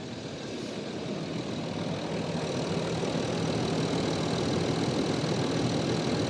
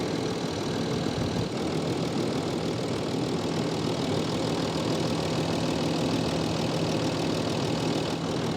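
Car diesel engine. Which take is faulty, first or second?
second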